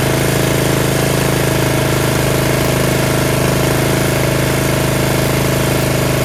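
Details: Yard Machines 13.5 HP Tecumseh 38" riding mower, free tractor, after fixing slow cranking: loud, even single-cylinder thump about three beats a second with steady hum, no misses or tapping; engine running fine.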